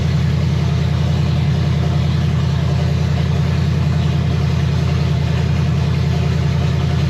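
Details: 1965 Chevy Nova wagon, 327 small-block V8 on first fire, at 30 psi oil pressure and 180°F water temperature: deep, loud open-header idle with an even, lumpy beat of about 2.5 pulses a second; normal, healthy idle.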